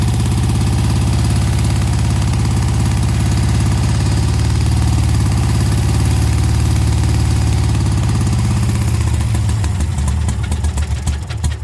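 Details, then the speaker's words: 1971 VW Beetle air-cooled flat-four, earlier recording of last time it ran: even, deep thrum about four beats a second, no knocks or misses, before dying away; running normally. "I'll leave you with a video of the last time I had this engine running"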